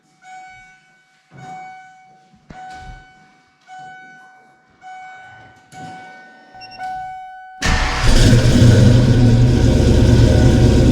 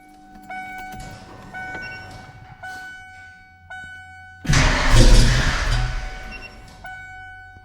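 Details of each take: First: Kenne Bell 2.1L supercharged Foxbody 5.0 Mustang V8 after fixing crossed spark plug wires: several short starter bursts, then it fires and holds a loud steady run, blower spinning without clanging; normal running, faint squeal noted. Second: Ford 5.0 small-block V8 Foxbody Mustang, rebuilt Kenne Bell 2.1L supercharger, 42 lb injectors, bigger MAF, first start, throttle nursed: lumpy, uneven firing stumbling and surging on blips; cylinders 2 and 4 cold, possibly running on six.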